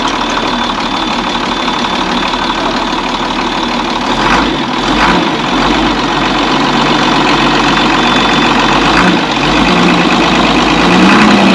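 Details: Box truck engine, running on fuel heavily diluted with oil (about 10 gallons oil in 20 of fuel), holds a steady, even idle with a consistent low drone and no miss or knock; normal idle.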